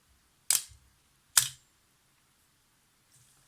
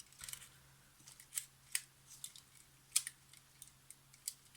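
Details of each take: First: Yashica FR-1 film camera shutter on B during restoration: two crisp snaps about a second apart; fires cleanly, owner feels first curtain slower than second but cannot measure speed. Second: Yashica FR-1 film camera shutter during restoration, after lubricating roller shafts with thinned oil: crisp single clicks in a quiet room, cut off clean with no lingering spring ring; shutter fires properly.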